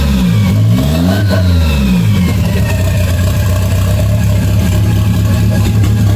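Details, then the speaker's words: 1992 Toyota MR2 project car with an unused vacuum outlet capped off: revs up and drops back smoothly, then holds a steady, even idle with no misses; capping the outlet keeps the idle good. "so covering up this vacuum holes back or this vacuum Outlet um helps keep the idle going um I don't have that connected to anything but I mean the idle sounds great"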